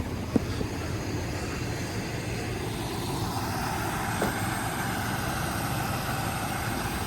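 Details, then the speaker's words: Old Chevrolet squarebody plow truck V8 started for the first time in about 20 years, bit smoky: quiet, even idle with no audible miss; running cleanly. "is a little Smokey but man listen to that thing [Music] idle doesn't even sound like it's missing really"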